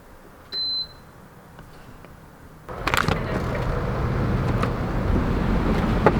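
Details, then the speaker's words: Ductless mini-split condenser, just reassembled after cleaning with water still on the fins, switched on: a short beep, then the fan spins up to a soft, even, quiet whoosh with no rubbing or rattling; healthy fan. "fan is spinning. It's actually spinning pretty quietly. I like that. That's a good sign."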